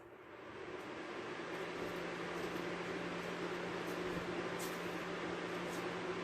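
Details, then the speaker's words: Lakewood Kool Operator Jr. fan (3 µF capacitor, somewhat dirty, well used) on medium speed: steady airy rush with a faint even hum, level after spin-up; normal, but noisy enough to talk over. "It's pretty noisy on medium speed. It's enough you may have to speak over it, depending on how quiet you're talking."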